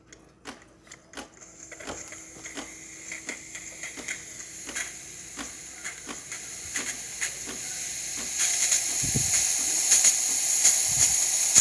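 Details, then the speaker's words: Older-style DeLonghi Magnifica after full shop service; the customer had replaced the flow meter, generator and water pump. With the lever activated, regular pump clicks sound under a hiss that builds as steam comes up. Pump and steam wand working normally. "So this is traditionally how you would prime the machine, by just activating this and then letting the water pump out. But I think it's going to activate steam this time."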